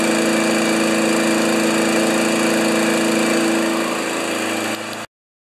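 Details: 1992 Wedgefield Briggs & Stratton Classic walk-behind mower at full throttle, settable rpm lever set to about 3360 rpm maximum: steady, even high-pitched drone at constant governed speed with no surging or misses before shutoff; normal healthy run.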